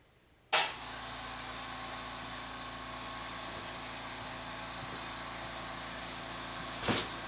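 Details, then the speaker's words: California Air Tools "ultra quiet" air compressor in a garage, after fitting the black threaded inlet part found in the box: steady, even motor hum with soft airy hiss, no knocking or rattle; runs normally and far quieter than before. "so talk about a night and day difference at least for my ears in the physical space of the garage i can hear myself think i can hear myself talk"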